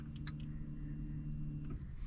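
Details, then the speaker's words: Car fuel pump at the tank priming when the ignition is switched on: low steady hum for about two seconds, then it stops. This is normal, and the pump is the first thing to turn on, checked during diagnosis of acceleration lag. "आवाज आई। तो ये जो आवाज आती है ignition on होती है, सबसे पहले गाड़ी में जो ऑन होता है वो होता है फ्यूल पंप।"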